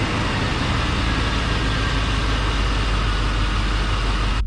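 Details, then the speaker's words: 1991 Chevy Silverado OBS small-block V8 with 399,000 miles, restarted: steady, smooth low idle rumble with no ticking or knocking; quiet for its mileage, healthy tick-over. "This thing does have 399,000 on it. It's pretty freaking quiet for it."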